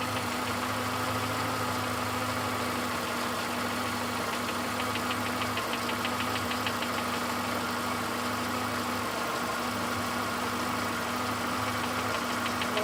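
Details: VW Golf 5 Plus, BSE engine, idle; light, fast, fairly even ticking knock over the running engine; engine knock present, source unclear.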